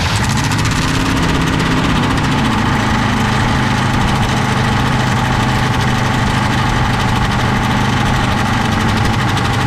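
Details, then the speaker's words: 1966 Pontiac Catalina parked 20 years, no radiator: steady idle with a metallic rattle first taken for rod knock; something, apparently the torque converter balance weight, is hitting the flywheel cover. "so i was looking for the very aggressive rattle that i kept thinking was a rod knock i took the belts off it's sti"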